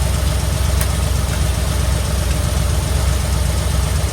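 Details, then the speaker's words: 1972 Ford F100 junkyard survivor truck on rebuilt carburetor, started from the key switch: steady even low V8 rumble at idle, no knocks or misses, running like a dream; normal idle. "it feels good to be able to start it from right here that's uh and it's running like a dream"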